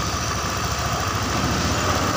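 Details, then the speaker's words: Honda Beat injection after engine rebuild with oversize 50 piston: steady busy idle well above normal, rear wheel spinning too fast though idle screw is about 3 turns out; high idle, owner suspects throttle butterfly held slightly open. "Ini langsamnya masih terbilang kegedean ya teman-teman. Ini perputaran rodanya ini berlebihan, padahal ini setelan langsamnya ini di sekitar 3 putaran ya"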